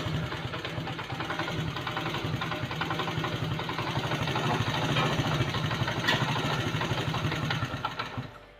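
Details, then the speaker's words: Motorcycle idling with an uneven, loose internal clatter over the engine beat, about three to four knocks a second, described as strange engine noises. Cause suspected, not confirmed. "Bike के engine में से बड़ी अजीबो-गरीब सी आवाज़ें आ रही है"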